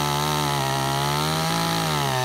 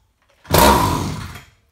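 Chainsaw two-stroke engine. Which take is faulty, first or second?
second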